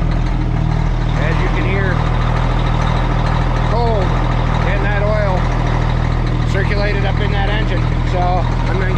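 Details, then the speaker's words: Custom Peterbilt with Cummins diesel after sitting three days, restarted after jumping: low, steady rumble that has idled down to an even idle with no knocks or misses, birds behind; normal idle, not as bad as thought. "there she goes she idled down so not as bad as she thought it was"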